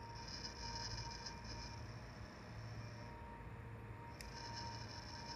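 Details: Quiet steady whine near 1 kHz with wavering hiss and low hum from a PC. Noise persisted even with the CPU and GPU fans stopped, but tapping parts traced it to the CPU cooler fan assembly.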